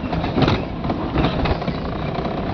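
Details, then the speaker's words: 2013 Mahindra Xylo D2 diesel after repair (DTC P0117): slowing over bumps where it used to stall, steady pull with bump thumps, no jerk, cut-out or warning light; normal running. "ये slow करिए गाड़ी में कोई झटका नहीं है और ना ही कोई लाइट है"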